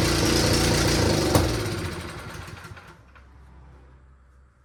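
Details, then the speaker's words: Returned snow blower small engine, starter seemingly failing (tapping it with a hammer helped), possible ignition timing issue: runs loud and fast briefly then sags and fades unevenly, hunting; erratic surging, owner suspects the switch may be involved. "that's so weird it's very inconsistent it seemed to like when I played with my switch here I wonder if that has something to do with it"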